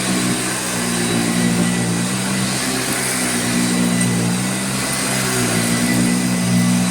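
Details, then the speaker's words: Original Hoover Junior 1334 upright vacuum on carpet, first run: even humming drone with a dry, rough edge; motor has good airflow but brushroll and motor bearings are dried out and tired. "is dried out bearings both brushroll and motor let's try some the slightly thinner pile carpet it's just dry and tired"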